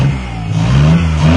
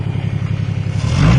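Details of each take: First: Car diagnosed for a no-start, now running: engine hangs high and keeps surging in pitch instead of dropping to idle because the gunky throttle cable is sticking; it later frees up. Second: No-start car diagnosed with basic tools, after fixing missing spark: quick, even low thump then smooth pickup on a throttle blip; runs cleanly, though the throttle cable sticks badly.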